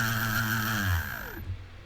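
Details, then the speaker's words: SC1300-BL brushless ESC driven by a Pololu Mini Maestro 12 servo controller instead of a handheld controller: after a neutral, full reverse, neutral sequence, the motor runs in reverse with a smooth high whine, then spins down normally. "so now the motor is moving in Reverse you can't see this but you can hear it"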